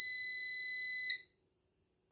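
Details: New PowMr 3.2 kVA / 3000 W inverter under diagnosis shows a firmware error and a battery-voltage-high warning. Its alarm buzzer gives one long, steady, high-pitched beep of about a second, signalling a fault. Cause is suspected, possibly processor overheating, not confirmed.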